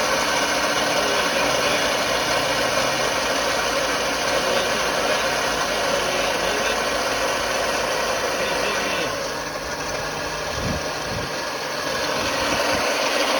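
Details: Engine idling with a steady hiss and faint continuous whirring from the belt drive; one pulley is not turning while the belt runs over it, owner unsure if it is the water pump pulley.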